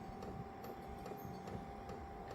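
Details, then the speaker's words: Vevor 8kW Chinese diesel heater, two years' near-daily use, starting up with wet exhaust pipe; soft regular clicks about twice a second over steady fan hum as fuel pump meters diesel into heater, normal operation. "You can hear that clicking. The fuel pump is now pumping fuel into the heater."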